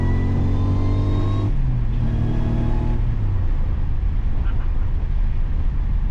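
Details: Subaru Legacy with an Eaton M90 supercharger on a smaller pulley, under boost: strong engine drone with a steady whine that steps up as revs climb; healthy blower, peaking at 8–9 psi and tapering to about 7 psi at high revs.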